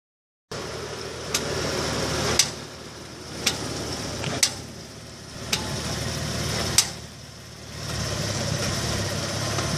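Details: 2004 VW Passat: faint idle hum with sharp isolated clicks about a second apart from the left front, noticed when stopping abruptly or slowly; source not pinned down.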